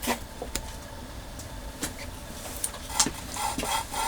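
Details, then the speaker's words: 1.6 MK2 Golf GTD cylinder head being rebuilt: gritty, scratchy back-and-forth rasp as a valve is lapped into its seat with grinding paste. The seat is not smooth yet, and the sound should stop once it is. "we go you can hear that grinding sound I mean it's the grinding compound is doing its job it's making it smoother when that stops it should be nice and smooth"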